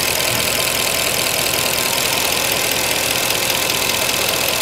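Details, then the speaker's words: Mercedes C63 just restarted cold after thermostat, pipe and coolant work: fast light ticking, several per second, under a loud steady idle; hydraulic lifters clicking until they fill with oil on warm-up. "Need to warm up a little bit for the lifters to fill up with the oil. Doesn't make sense. Yeah, beautiful, not bad. You're gonna come more quiet. Now you can hear the click, click, click,"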